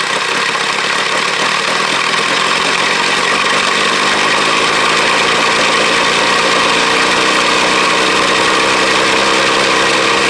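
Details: 1983 Ford Ranger cold start in snow, run with air cleaner removed: catches and settles into steady, slightly lumpy idle with fast even patter; healthy cold start, owner says it starts reliably since the air cleaner came off.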